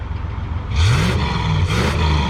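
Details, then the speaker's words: 1967 Ford Galaxie 500 with 289 V8 after top-end rebuild (head job), about 3 miles since owned: two sharp blips, revs climbing cleanly and returning to a steady idle, with a little smoke. Healthy revving, though slight valve chatter noted. "All right, there we go. Now we're talking. All right, a little bit of smoke, but not bad."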